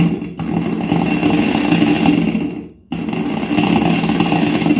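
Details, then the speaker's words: Angle grinder that had jammed, after bearing replacement, run on a series connection (slow): steady motor whine with a rough gear growl, cutting out and restarting midway; owner blames a minor gearbox problem, says the grinder itself is fine. "दोस्तों इसके अंदर से आवाज आ रही है वह इसलिए कि यह नहीं कि गियर बॉक्स में थोड़ी प्रॉब्लम है"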